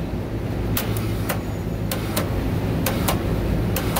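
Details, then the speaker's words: Walk-in cooler condensing unit just restarted after a contactor replacement. Low hum broken by sharp clicks about every second as it switches on and off. Pressure control suspected, though gauge pressures look fine; compressor short cycling. "why are we short cycle notice that on off on off on off something's funky in there probably a pressure control issue"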